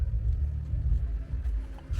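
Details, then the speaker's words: Twin-turbo BMW, previously underpowered, after fixing an exhaust leak at the turbos: deep, steady V8 rumble with no puffing or ticking at the manifolds; exhaust sealed, normal running. "Oh man, she sounds so good compared to what she used to sound like."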